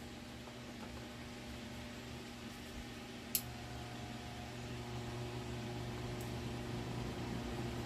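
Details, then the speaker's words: Tron desk fan in for repair, tested with a substitute capacitor: soft even hum, blades turning slowly and never picking up speed, still weak with the replacement capacitor; motor appears burnt. Weak fan motor, low speed. "continua fraco tá vendo se aumentar a potência aqui ó do capacitor"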